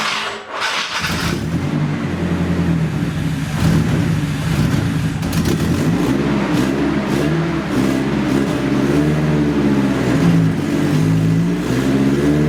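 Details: Nissan 240SX, first start in 2 years after rebuild onto a new chassis: engine catches, runs perfectly about a second, then idle surges and lopes unevenly about once a second; rough loping idle, cause unknown.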